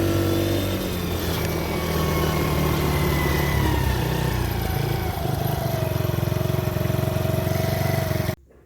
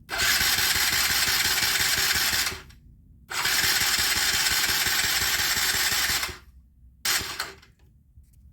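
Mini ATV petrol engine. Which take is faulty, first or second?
second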